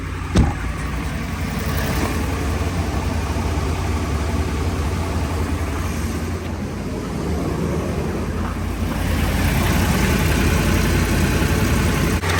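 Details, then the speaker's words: Ram 1500 5.7 HEMI at idle after resurfacing warped exhaust manifolds, replacing broken studs/bolts and new gaskets: steady, smooth exhaust note, exhaust manifold tick gone; healthy idle. "Okay guys, as you can hear, it sounds a lot better now. I don't hear an exhaust manifold tick anymore."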